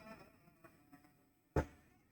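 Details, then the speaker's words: Computer subwoofer speaker gives a steady buzzing hum with a loud thump partway through, noise from the power circuit; failing filter capacitor (3,300 µF) in the power supply, before replacement. "It's some sound, but we have a noise. This noise is from the power circuit. Let's open it and see what's the issue. We have a bad capacitor."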